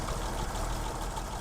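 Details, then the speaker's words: Survivor classic pickup (either the 1936 International C1 or the 1967 Chevy C10), rewired, converted to an electric fuel pump, leaks some oil: low, even rumble with a steady beat and nothing sharp on top, a smooth normal idle. "Let me start it up. Nice and easy. It just purrs right along. Pretty neat."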